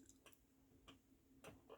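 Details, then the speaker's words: KitchenAid KDTM354DSS4 dishwasher, overflow float switch lifted by hand during repair diagnosis: clean, crisp single clicks each time the float is lifted and dropped, quiet room behind; switch works fine. "but I read where if you just lift it a little bit you can hear it clicking"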